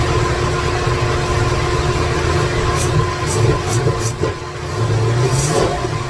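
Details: 2017 Corvette Z06 with Texas Speed 416ci stroker, Holley port injection, first fire-up with no tune, no coolant: V8 fires and runs lumpy with stumbling revs; rough running from missing tune.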